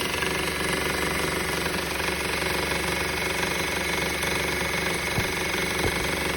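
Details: 2013 Honda Civic at idle: steady busy rattle with no clear rhythm, continuing after the belt and belt tensioner were replaced; engine rattle, source not yet found.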